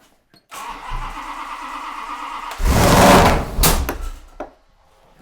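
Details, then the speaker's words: Max Wedge Mopar V8 with two carburetors on a dyno: catches, revs up briefly then dies, repeating after a short rumble; stalls after revving, firing order checked, owner suspects a big vacuum leak, PCV considered. "feels like a big vacuuming or something it revs up and it just stalls on you"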